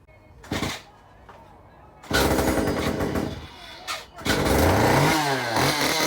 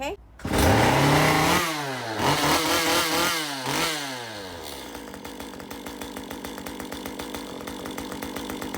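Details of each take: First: Stihl MS194T chainsaw cranked, run and shut off: thin squeal from the crankshaft rubbing behind the clutch; repair is to remove the clutch (left-hand thread) and file down the crankshaft there. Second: Stihl MS 194 T chainsaw after crankshaft squeal repair (filed behind crankshaft, greased bearing, clutch refitted): revs climb and fall cleanly, then settles to an even idle patter with no squeal; normal running.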